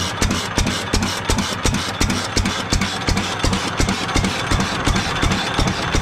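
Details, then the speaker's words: 7.5 HP Fairbanks Morse engine after restoration with a new adjustable governor linkage and new throttle spring: slow, even chuffing at about 167 beats/min, a smooth governed idle with no bounce or surging. "so the only thing left to do to it now is replace the gas tank to order one up this week and this thing is so ready I'm really happy with the way it runs so"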